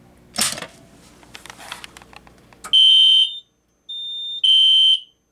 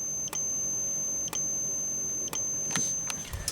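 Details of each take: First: System Sensor Spectre Alert P1224MC horn strobe, code 3 low, on a Kidde FX panel outputting full-wave rectified power, with MDL sync module: high horn in half-second three-pulse bursts, raspy, scratchy, lower pitch — caused by FWR current. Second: System Sensor P1224MC horn strobe powered by filtered DC instead of full-wave rectified: steady high, even capacitor charging whine with a sharp flash pop about once a second, smoother; normal strobe capacitor charging whine.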